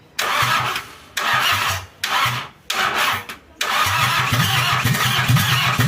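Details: Toyota Kijang 2L diesel just rebuilt after burning oil, injection pump timing at the zero/standard mark, started after glow-plug heating: cranks in repeated bursts with pauses, then catches into a rough uneven run. Hard starting, attributed to the fresh overhaul.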